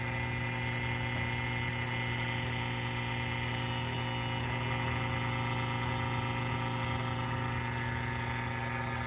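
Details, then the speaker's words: Philco 41-280 vintage radio, preset alignment after it was mistakenly left on the police band: the trimmer is turned counterclockwise and the signal generator's modulated test tone comes through as a steady, even buzzing tone with no fading. "I needed to take it out of everything, but listen as I go counterclockwise. You can hear that modulated tone come through."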